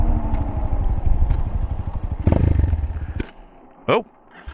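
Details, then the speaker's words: A Chinese single-cylinder carbureted motorcycle that earlier cut out near 6,000 rpm stalls after running flat out uphill, despite a new ignition box. It thumps raggedly, coughs through the carburetor and dies within seconds. The needle was already raised; the owner suspects jetting and will check the plug. "she stalled. You hear that? Coughed through the carburetor, was like, whoop, I'm done."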